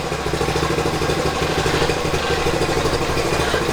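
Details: 1970 Honda Trail 90, stored about 20 years, first run after cleaning rust and old gas from tank and carburetor, choke off: settles into a steady, even putter once throttle released and idles on its own; healthy idle, possibly slight oil burning.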